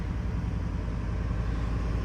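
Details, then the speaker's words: 1989 Chevy K1500 V8 idling just after its first start following a new crate-engine swap: deep, steady, even rumble with no knocks or misses, sounding very clean. Normal idle. "Just gonna let it idle for a few. That sounds very clean though. Honestly, like, not disappointed with that at all."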